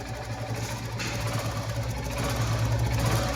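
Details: Royal Enfield Bullet Standard after cylinder head replacement to cure tick-tick noise: even, unhurried single-cylinder thump at idle with steady beat and no sharp top-end tick; sounds healthy.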